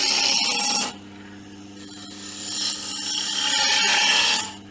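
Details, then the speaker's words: Wood lathe turning camphor laurel with a sharp gouge: steady bright hiss rising and falling as it cuts, lathe spinning evenly with no stress on machine or operator; clean, sharp cut. "I always say with with turning it's not just seeing how the shavings come off it's actually you can actually hear it you get that lovely hissing sound um and there's no stress on the machine and and the operator"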